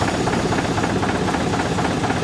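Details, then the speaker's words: 1963 Volvo BM backloader, air compressor after repair, tanks previously emptied: steady diesel running with quick, even pulsing thump as compressor pumps quickly and continuously into the air tanks, no knock or leak hiss; normal compressor operation. "So it's going quickly and continuously. So we got to be having good air going into the air tanks cuz there was no air in the air tanks cuz we let it all out."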